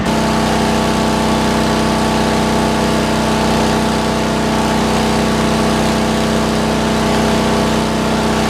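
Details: 40-year-old rope-start Lincoln Weldanpower 150 welder, cranked to maximum output while laying a bead: steady, even engine drone with a constant pitch and no knocks or misses; healthy engine under welding load.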